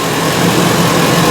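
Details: 2010–2014 Ford E350 5.4L V8 at idle, uneven loping beat with an irregular stumble; scanner shows P0301, cylinder 1 misfire (cylinder 2 also flagged in misfire test); coil removal next, cause not yet confirmed.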